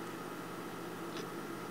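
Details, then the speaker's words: Dead Maxtor hard drive in a PowerMac G5 (2 GHz, liquid-to-air cooling conversion): steady whirring hum with faint fixed tone, no seek chatter; drive does nothing but make this noise, failed. "this maxtor harddrive is dead you know look at this it's not doing anything and it just makes this noise"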